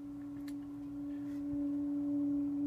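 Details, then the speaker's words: Regency H2100 hearth stove burning really hot with glowing coals, phone held close: a steady, pure high whistle holding one pitch over a quiet background; air intake whistle. "if you can if you listen closely you can hear this whistle if I move the the phone in pretty close you'll be able to hear it"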